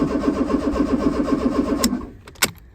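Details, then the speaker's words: 1995 Fiat Tipo 1.6 SX, non-running, aftermarket Gemini alarm/immobiliser; starter cranks steadily about four compressions a second but never fires, no fuel pump heard. "I have a feeling it will do nothing but I don't hear a fuel pump"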